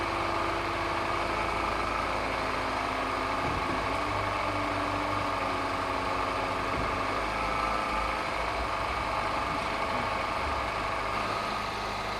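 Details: Peugeot 207cc EP6 that had a slipped timing chain, after the timing was reset and a leak-down test was done: a settled, even low drone with no ticking, knocking or stumbling, a normal healthy idle.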